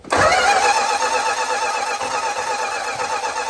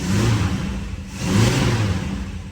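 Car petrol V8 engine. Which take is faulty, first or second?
first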